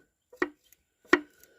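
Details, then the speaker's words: Yamaha Waverunner XL 800 engine, removed: connecting rod rocked by hand gives sharp metallic clunks; slop from a failed big-end bearing, possibly a split crank rod spacer that trashed a piston; needs new crankshaft and full rebuild. "but you can hear it it's clunking there's some slop in that rod so something has failed on that"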